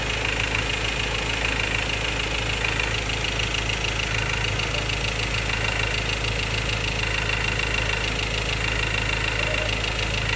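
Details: 2016 Ford Ranger XLT 2.2 Duratorq diesel, 4x2 manual, at idle: sharp metallic clatter about three times a second; fuel knock or clogged injector suspected, unresolved by dealer, source unconfirmed.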